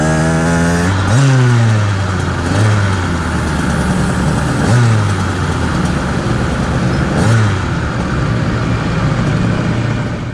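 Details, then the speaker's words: 49cc two-stroke motorized bicycle engine: on quick revs, a distinctive low droning hum rises under the exhaust each time it winds down. Owner suspects internal vibration, as the crank feels chunky and its crank weights wobble from not being true. "I feel some vibration in the motor, and if you have a keen ear, you can actually hear it. When I rev up the bike and let the motor wind down, you hear a very distinctive hum."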